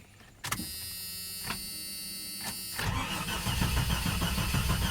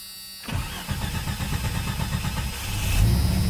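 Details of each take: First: 1989 Jeep Cherokee 4.0L I6 (Renix, AW4) on its old battery, sat 24 hours at 12.68 V. The starter turns sluggishly at about four beats a second for several seconds, then fires and idles. Weak battery dragging the crank; the alternator then charges to 14 V. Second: 1989 Jeep Cherokee 4.0L I6 Renix, AW4, just fitted with a new DieHard Platinum AGM battery: quick, even cranking at about four beats a second catches cleanly within three seconds, showing a strong battery and a healthy starter.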